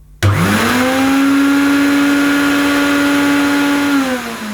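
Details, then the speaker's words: Vintage Hoover 427 cylinder vacuum cleaner, metal body with a cloth bag, sold up to the early 80s, first power-on after unboxing: the motor spins to a steady high hum with a rough edge, sounding unhealthy. Owner suspects it needs a motor strip-down and lube. Abnormal motor noise. "does turn on, but that doesn't sound too healthy. No, it doesn't sound too healthy to me. That's probably a motor strip down and a lube job, which I haven't time at the moment to do, but it goes."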